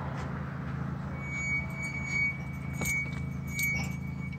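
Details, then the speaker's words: Nissan 370Z after an automated car wash: a faint creak repeats about every three-quarters of a second as the body is pushed down, over a steady hum; owner suspects the wash hit and loosened something underneath; not confirmed. "hear that sound when I push down on the car it makes this sound"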